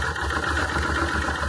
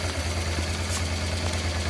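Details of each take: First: Circa 1996 Honda Transalp carbureted V-twin at idle; closing the air-fuel mixture screw half a turn makes the uneven, stumbling idle worse until it nearly stalls; lean mixture, fixed by opening the screw about one turn. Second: About 1996 Honda Transalp V-twin, after setting the carburettor air-fuel mixture screw to the factory 2.5 turns: previously unstable idle now steady and even, a low thump with no misses or stumbles.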